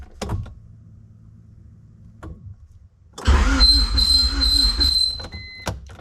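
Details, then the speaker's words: 1990 Honda CRX Si, freshly installed DOHC ZC engine, first start attempt: starter churns with a thin, steady high squeal; squeak from something turning, owner suspects alternator, source unknown. "It was all kinds of squeaking sound, and I don't know what it is. I wish I knew. I don't know if it's the alternator maybe, or something else that's turning."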